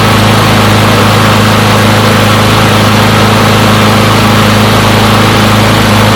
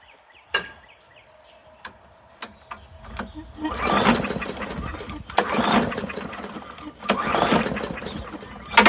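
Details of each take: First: Push mower from a neighbor who said it wouldn't start; run to warm up after long disuse. Loud, even small-engine drone at one steady pitch with no misses or surging; runs pretty good; normal running. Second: Free non-running push mower after priming and carb cleaner shot: several sharp rope-pull cranking bursts, never catches; no-start.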